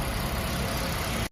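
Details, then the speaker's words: 2010 Toyota Prius hybrid after repair of failed ignition coils (codes P0352–P0354): smooth, even low idle hum with no misses or shaking; engine now runs steadier. "ซ่อมเสร็จแล้วก็ให้ลูกค้าวิ่งทดสอบลงเป็นไงครับเป็นไงบ้างโอเคนะครับเครื่องนิ่งขึ้นนะครับ"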